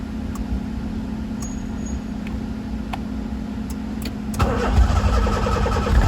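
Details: Honda EF Civic after swapping the DX chassis harness for the SI harness, with a hybrid OBD0-OBD1 + OBD2 engine harness and OBD0 ECU, started on jumper cables in neutral and probably low on fuel: cranks a few seconds, catches, then idles unevenly with a slight hunt.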